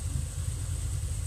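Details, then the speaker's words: Fox Body V8, warm, in neutral with AC off, nearly stock with a B cam, Flowmasters and chopped exhaust: deep, steady rumble with a slight lope; fuel trims near zero; normal idle. "perfectly well it's a pretty much stock motor with a B cam guys when I hear it sounds a little lumpy to me but this is a like a B cam of flowmasters and chopped off exhaust"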